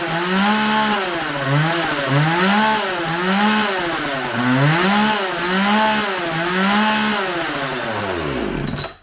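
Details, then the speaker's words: Homelite 4620c 46cc chainsaw with 20-inch bar, after carburetor cleaning, new fuel lines and a carburetor adjustment; revs swing up and down with clean pickup and no bogging, running better and well enough to cut wood. "all right i messed around this thing for a little bit seems to be running a little better it's definitely not a steel but i think it'll cut some wood so you can hear it now"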